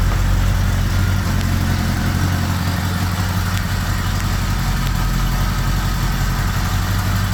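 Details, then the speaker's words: 1975 Honda GL1000 Gold Wing flat-four, after resealing the water pump with new gaskets and O-rings: first start after reinstall, cold with choke on, idling a bit high but smooth, deep and steady with no ticking or knocking; no coolant leaks, much less smoke. Normal idle. "That sounds pretty good right there. Idling a bit high, but the choke's still on."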